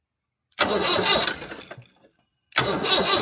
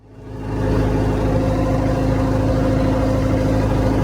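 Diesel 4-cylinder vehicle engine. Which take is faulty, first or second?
second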